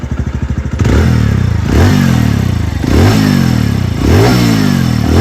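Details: 2021 TVS Radeon BS6 single-cylinder bike blipped repeatedly, with a thuddy clatter rising on each rev over the exhaust; cause not identified; engine clatter.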